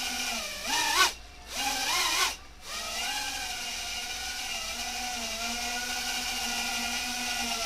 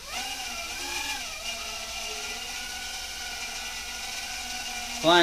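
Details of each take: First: Repaired micro quadcopter hovering on discontinued micro motors: a steady layered whine with an odd rough edge. Source is unclear; owner suspects a motor bearing. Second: Repaired quadcopter in a test hover: an even, high buzzing whine that shifts pitch smoothly as the throttle trims, with no rattle or stutter. The hover is healthy, though an unclear sound is heard that might be a motor bearing.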